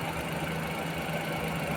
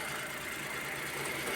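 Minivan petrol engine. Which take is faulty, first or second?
first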